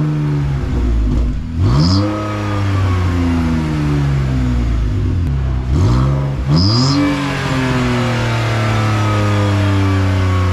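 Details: BMW E46 drift build with a welded muffler delete: two quick throttle blips from the loud open exhaust, each bringing a thin high whistle over the engine drone; exhaust whistle on revving, cause suspected, not confirmed.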